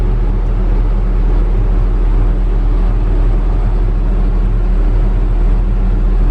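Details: Logging heavy equipment diesel after routine maintenance service; loud steady low drone with no knocks or misses, running smoothly.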